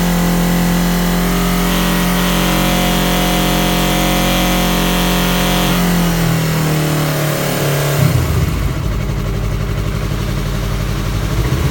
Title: Yamaha R3 buzzing noise at 5500 rpm